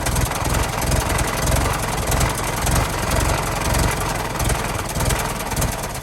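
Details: 1916 Federal Motors truck, 107-year-old four-cylinder that was seized and sat 50+ years, bottle-fed fuel, rusty radiator being filled with water; steady, slightly lumpy low idle with even firing and no knocks, runs real good: normal idle.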